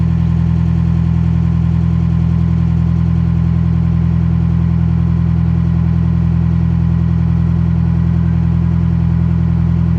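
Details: Detroit Silver Series 4-53T turbo diesel at idle after the 5-inch resonator was swapped for two 24-inch, 4-inch resonators to cure a 1600–2000 rpm drone: smooth, even low rumble with a very soft exhaust note and no drone.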